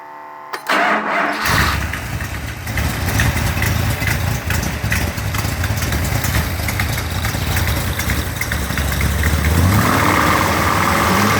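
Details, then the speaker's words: Mopar Performance 360 V8 rebuilt short block, 587 iron heads with 2.02 intake valves, Stealth intake, 750cfm carb, 248°@.050 cam, on test stand: starter cranks, catches, settles to slightly lumpy ~900 rpm idle; good oil pressure, lowish vacuum from cam; normal. "The manifold vacuum is a little on the low side, but that's indicative of the camshaft being used. It's 248 duration at 050, which is quite aggressive. And the engine's idling around 900 RPM."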